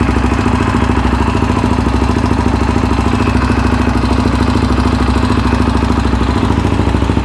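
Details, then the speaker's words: Yamaha Raptor 700R after engine rebuild, with FMF pipe: very loud, choppy single-cylinder idle with rough pulses about three per second, popping and shooting flames, lacking a fuel tune; programmer planned. "Holy crap guys, this thing is loud. My ears are friggin' ringing. I'm kind of surprised because it is an FMF pipe."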